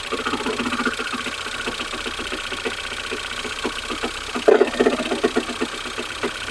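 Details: Ford Fusion 2.0 engine, cold, idling and blipping throttle, microphone at front: uneven metallic clattering over idle that comes and goes; broken flywheel ring gear, not an engine fault.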